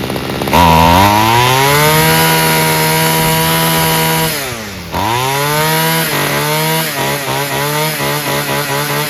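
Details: Free Homelite string trimmer, fixed by adjusting the carburetor mixture and idle screws (carb not cleaned), revved to its high end: climbs cleanly to a steady scream, drops and snaps back on blips without bogging, running right.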